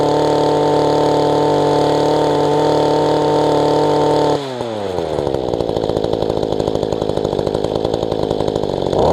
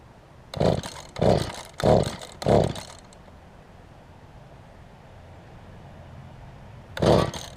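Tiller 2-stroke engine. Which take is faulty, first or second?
second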